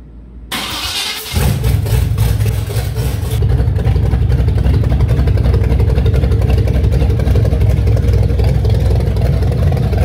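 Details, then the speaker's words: 1927 Chevy rat rod at first start, timing roughly set, slight fuel leak remaining: brief cranking, then a loud, deep, steady run with no misses or knocks; normal start and running. "that is not the quietest thing sounds good"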